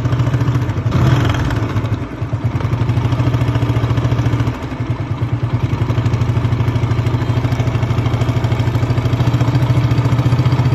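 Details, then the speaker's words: TVS Apache 160 single-cylinder motorcycle engine, before repair: fast, even ticking rattle over the idle that stays through light throttle; cause found to be an old, badly stretched cam chain, replaced with a new chain. "Chain साथी, मैले यो पुरानो chain came chain एकदम लामो भएर हजुरको अघि sound सुनिसक्नुभयो हजुरले, टिक टिक टिक टिकको साउन्ड आइरहेको थियो।"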